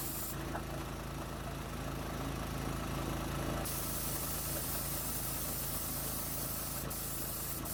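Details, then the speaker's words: New gas-powered MaxAir air compressor, first run after unboxing and assembly, after some difficulty starting: steady single-cylinder thrum with air hiss that cuts out partway, even and unlabored; running normally. "But anyway, seems to be working okay. We'll put it through its paces here in the coming weeks here."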